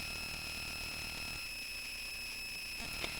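A steady high-pitched whine with constant hiss underneath, unchanged throughout: electrical noise on the board's audio output, source unconfirmed.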